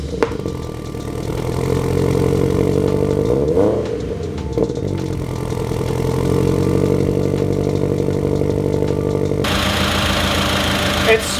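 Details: Turbo Subaru BRZ on first start, temporary setup, restarted after burnt-oil smoke from the turbo blanket and a spilled oil feed, with the radiator leaking coolant. It cranks, catches, blips, then settles to an uneven, wavering idle. It runs slightly rough; a custom tune is expected to fix it.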